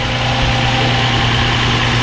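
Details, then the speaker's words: Infiniti G35 (2003-2007) idling after valve cover gasket and spark plug job: steady, smooth low drone, no knocks or misses; runs cleanly and no throttle body relearn seems needed. "you know I did take the battery off so I need to let this run for a while it doesn't sound like I need to do any kind of throttle body relearning right now"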